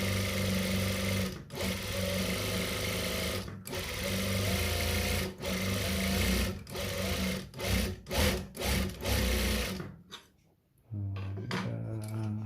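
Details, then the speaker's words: Noisy sewing machine after tightening loose parts and resetting the hook above the needle eye: quick, even whirr with brief stops between runs and no harsh knocking; fairly smooth, not yet oiled, oil would smooth it further; normal running. "Halus ya, tapi enggak sehalus, nanti kalau lebih halus lagi dikasih oli."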